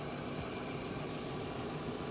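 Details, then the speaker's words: 2008 Hyundai Accent cold, phone placed on left side, owner chasing a gearbox-side knock that appears when hot: quiet, smooth, even idle with no knock or tapping yet; normal cold idle. "Слышите, как это звучит сейчас? Кажется, ничего слышного не слышно. Да, всё выглядит нормально."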